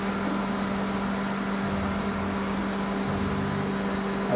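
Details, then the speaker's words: Microwave after magnetron replacement, heating water 30 seconds: steady even hum, no popping, sparking or fire as before; working normally. "Tá bom vou ponhar mais 30 segundos ou mais 30 segundos tá aí a microonda voltou funcionando normalmente né ele voltou já funcionando"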